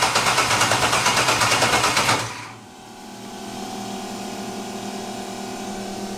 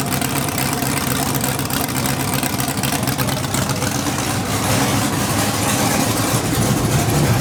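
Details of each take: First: LS-swapped budget Mustang drag car, first start attempt after loading tune: even starter cranking about eight compression pulses a second for two seconds, never catches; spark plug wire check shows no spark, likely no power to the coils. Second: Budget LS-swapped Mustang drag car, first start with open headers; loud, crisp V8 bark, steady and even for several seconds before shutdown; slight smoke, probably greasy fingers, minor trans fluid leak: normal running.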